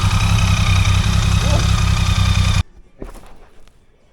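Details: BMW K75 three-cylinder motorcycle after fixing a stuck starter sprag clutch: a strong, even engine beat with a steady rhythm and no knocks or starter clatter, then it cuts out. The motor sounds healthy; the battery is now flat.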